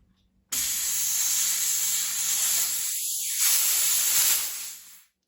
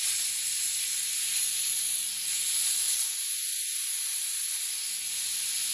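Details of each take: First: Hatsan Blitz air rifle refilled to 3000 PSI from scuba tank, after leaking fill valve was rapped to seat: sharp steady hiss for about four seconds, tapering to silence; normal bleed-off of fill line, all air off. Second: Hatsan Blitz air rifle just filled to 3000 PSI from scuba tank, bleeding fill line: continuous high-pitched hiss that never lets up; gun's fill valve not seating and keeps leaking air, later cured by cycling/rapping the valve.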